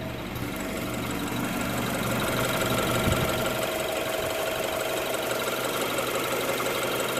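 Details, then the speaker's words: 2016 BMW X3 2.0-liter turbo four, warm idle before engine oil flush and oil change: steady, even, smooth idle with light injector ticking on top; nothing abnormal. "Now all we do is just let her idle for 15 minutes. Guys, I just want you to hear what it sounds like before we change it. This is before we do the flush."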